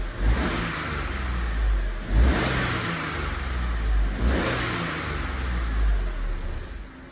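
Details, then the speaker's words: £150 Copart car, not driven since Friday, revved in workshop: three clean throttle blips rise and fall smoothly, settling to a steady idle with no knocks or misfires; running really smooth, still needs a road drive. "Honestly, that is running really smooth."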